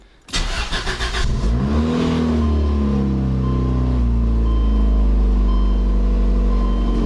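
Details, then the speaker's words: Federal Lotus Elan M100, dead cold start after sitting a month on trickle charger, 12 V reading: catches after a few cranks, pitch climbs and holds high, cold-start idle flare to about 2000 rpm that owner usually sees. "Kind of a high idle flare, but it usually flares up to about 2,000 RPM on cold startup, which really isn't my favorite, but I'm not sure what to do about that."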